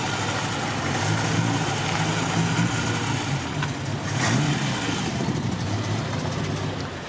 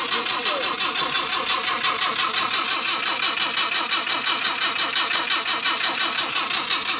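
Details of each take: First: Mk1 Ford Cortina original 1200 engine, slight carburettor diaphragm leak: four-cylinder runs and pulls away with rising and falling revs, no obvious knock or misfire; normal running. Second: Ford Mk1 Cortina, original 1200 engine, cranking on a jump pack. An even starter rhythm at about three compression pulses a second never catches. There is little fuel smell and a dodgy ignition switch is suspected; the points were later cleaned to get spark.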